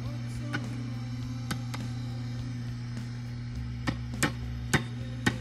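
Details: Warmed-up AC30 guitar amp before its repair with a matched quad of Sovtek tubes: steady low mains hum with sharp random pops and ringing clicks; noisy, microphonic output tubes.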